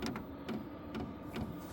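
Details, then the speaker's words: Vevor 8 kW diesel heater at its first startup on a 12 V supply, switched to manual mode and turned up to about level five: sharp, regular clicks about twice a second over a low hum as the fuel pump speeds up to supply more fuel. This is normal pump clicking. "so you're going to hear it starting to ramp up and you're going to hear the clicks that's the fuel pump getting faster to supply more fuel"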